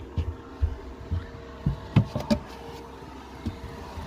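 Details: Chinese 2 kW 12 V diesel heater in a VW Transporter T4, on full power after the noisy fuel pump fix: soft, low ticks about twice a second over a steady fan hum, the pump now running quietly.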